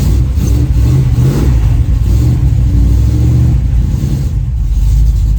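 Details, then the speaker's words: 1936 Chevy coupe hot rod on jack stands in cold weather, after the exhaust was reconfigured to fix a massive leak: revs and settles with a solid, even low rumble. There is no popping or banging; the exhaust sounds sealed and quieter. "quieter as well which makes sense because it was a massive leak in it"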